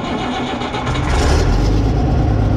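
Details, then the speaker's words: Ford 9600 diesel tractor started after a very long time, no preheat, clutch pressed: cranks and catches quickly, settling into a steady low chugging run with no misfires; starts and runs normally. "première petite vidéo sur le Ford il démarre il fonctionne"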